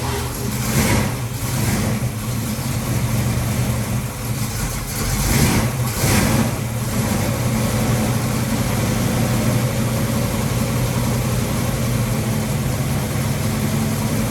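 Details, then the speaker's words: Ford 289-based 331 stroker, second start after rebuild, choke on: deep V8 rumble with a couple of blips, then idle with no top-end ticking. Tapping is gone, but it idles poorly; timing is suspected off. "okay the tapping noise is gone so that's uh good job"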